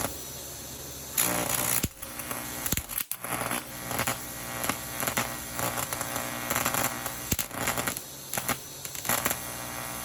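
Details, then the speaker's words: 1993 TIG/stick welder after arc-starting HV impulse transformer replacement: ragged arc hiss that cuts out and surges over a low hum, hard to start; unstable TIG arc, slightly better after switching transformer output polarity. "So as you saw, there were some arc stability issues. I tried it again and it worked a little bit better."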